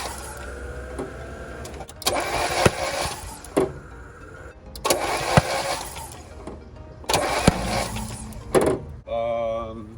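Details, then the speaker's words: 1991 Mazda Miata 1.6 manual with blown engine, cranked with a towel in a spark plug hole as a rough compression test; three short bursts, starter spins quickly and freely, no firing, timing belt turning; sounds like no compression. "i'm actually gonna take out one of the plugs or all of them just to be sure it sounds like it has no compression"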